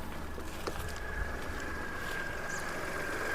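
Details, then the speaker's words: Used car (Radico engine shown) being inspected, idling with bonnet open: quiet, steady, even hum with no misses, knocks or surging; smooth, consistent firing, no abnormal sound. "तो ये देखिए, ये है रेडिको का engine और ये smooth firing, एक जैसी फायरिंग दे रहा है।"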